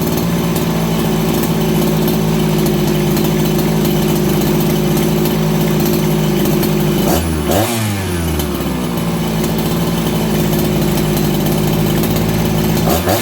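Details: Farmertec 288XP kit chainsaw after ignition repair (sheared flywheel timing key), low jet richened: steady even idle with crisp throttle blip dropping straight back and settling fast; running healthy.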